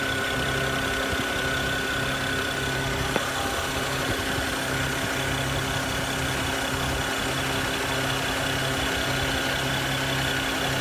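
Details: BMW 335i petrol engine at idle with a steady hiss and a faint whistle-like tone, heard near the alternator/intake and throttle body.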